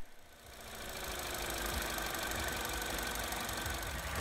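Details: 2014 Vauxhall Corsa E 1.4, after its faulty coil pack and spark plugs were replaced to cure misfire and jerking: even, settled idle with a steady mechanical patter and no stumbles, running smoothly on all cylinders.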